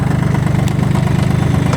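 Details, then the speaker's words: Kubota L1-18 three-cylinder mini tractor, after hydraulic tiller demo: low steady diesel chug at idle, even beat, no tapping or misfire; normal idle, everything works. "работает все крутится вертится нажимается трактор едет вперед"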